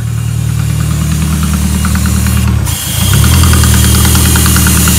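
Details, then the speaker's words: January 2003 Peugeot 206 S16 after RC intake plenum swap with universal throttle body; lumpy, uneven idle with a rough pulse, then a blip to a higher, steadier speed; problem traced to the throttle adjustment. "alors le problème venait bien du réglage du papillon"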